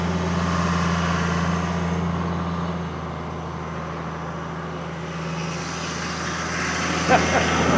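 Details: 1997 Kershaw Klipper right-of-way trimmer diesel, 27 years old, revived after something heard clicking it on: low, even rumble, steady beat, no misses or knocks; healthy idle.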